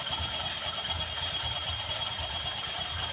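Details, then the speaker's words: Honda Vario 150 scooter with ngik-ngik squeal at low RPM: thin constant high squeal over quiet low idle, steady pitch; low-RPM squeal. "kali ini kita akan menangani sepeda motor Vario 10 dengan kendala bunyi ngik-ngik di RPM bawah seperti yang ada di video ini"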